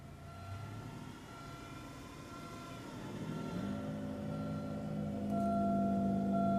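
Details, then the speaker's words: 2005 Buick Park Avenue: engine hum builds, then a clear steady transmission whine cuts in around the 1-2 shift and stays; transmission whine on shift to second, cause unknown. "wondering if you can hear the noise in here on the camera from the transmission."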